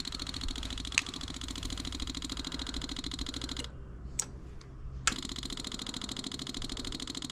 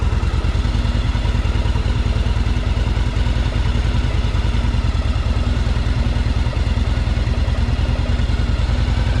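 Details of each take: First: 1984 Yamaha Virago 1000, key on refilling emptied carb bowls: rapid even fuel pump ticking keeps going with one short pause, not shutting off; fuel overflows from the carb vent, owner suspects float needles sticking open, flooding the carburetors. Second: 1984 Yamaha Virago 1000 V-twin first start on choke after carburetor flooding fix, running on its freshly cleaned carbs; loping, steady, even idle with no stumbling or misfires, running really good.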